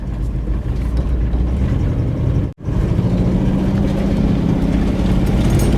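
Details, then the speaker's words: 1962 Cadillac Sedan DeVille with a Jetaway automatic, pulled from a desert: engine drone climbs under throttle with no drop for a gear change; transmission not upshifting. "I'm trying to really make sure it's not getting those gears"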